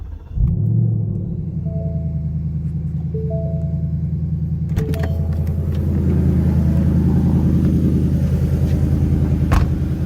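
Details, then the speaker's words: 2019 Ford Mustang GT PP1 V8 at about 5,000 miles, cold start: quick crank settling into steady deep cold idle with no engine tick; owner notes a tick underneath before the first oil change, now gone. "And if you listen there, there's no tick. So, to be honest with you though, there's no tick now."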